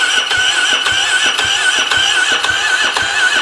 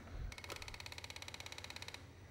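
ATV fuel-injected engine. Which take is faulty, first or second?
first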